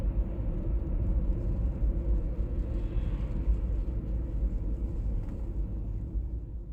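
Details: 1996 BMW E39 523i automatic (pre-facelift): low droning hum swelling and fading slightly over steady road rumble while cruising, heard at 50–60 and 70–80 km/h; cause unclear.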